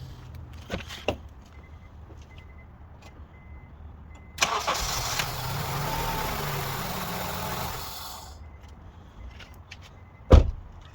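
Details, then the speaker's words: 2002 Honda CR-V with no-start, one camshaft position sensor reconnected and the other left disconnected: quick crank, fires and settles into steady idle briefly before shutoff; starts fine, confirming the reconnected sensor is the working one. "So now we know for sure this is the one. This one is working."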